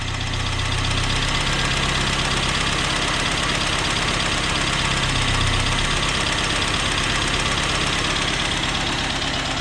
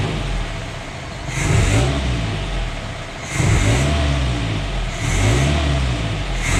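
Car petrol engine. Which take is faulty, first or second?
first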